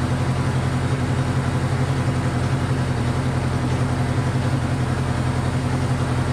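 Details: Honda CB500 four-cylinder; low, lumpy idle with uneven pulses and irregular beat, firing on all four but hard to idle and smoking; owner suspects low compression.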